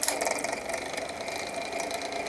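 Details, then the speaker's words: Small 6-inch desk fan, model 6HK, needing oil: motor runs with a dry, scratchy rattle and thin steady whine; noisy running fan. "definitely need to oil it as you can hear wow that sounds like crap"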